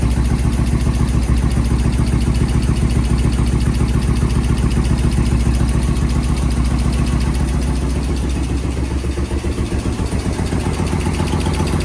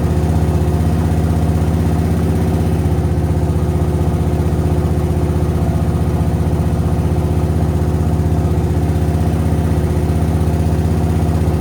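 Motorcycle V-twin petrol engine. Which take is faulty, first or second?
first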